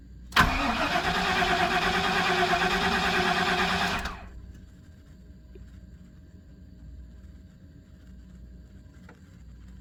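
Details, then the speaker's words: 1997 GM truck 5.7, 427,000 km, cold: even cranking at about three beats a second, never fires; fuel pressure far below the needed 55 psi as the pump check valve leaks down cold; new pump needed, plus a plugged fuel filter. "if it doesn't have 55 lbs of fuel pressure it won't fire I hear the pump running in the tank now look at the pressure leaking down so that check valve in there is leaking when it's cold"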